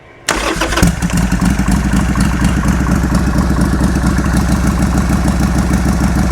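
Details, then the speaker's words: Harley Sportster with new Hammer Performance 1275 kit, choke out, air cleaner removed: catches, lumpy faltering idle, dies quickly despite throttle blip; fault traced to bad ignition connector wiring. "Well, she died real quick before I could really blip the throttle, but I did blip it right as it died."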